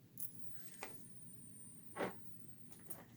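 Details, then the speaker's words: Bench power supply feeding a small spark (taser) module: a thin, piercing high-pitched screech holds steady under load. The cause is unknown, and the owner fears it may harm the supply. "it just makes a screech i don't get what it's doing there"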